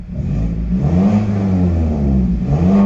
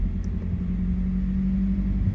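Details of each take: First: 2012 Mazda 3 Skyactiv 2.0 after the spark plug change, engine not cold, check engine light still on after battery reset: two clean throttle blips rising and falling smoothly back to idle, no misfire or stumble, running well. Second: 2012 Mazda 3 Skyactiv 2.0 at idle: holds a steady, slightly raised hum without settling down; car started revving high with cause unknown, owner hopes spark plugs fix it and plans to check vacuum lines.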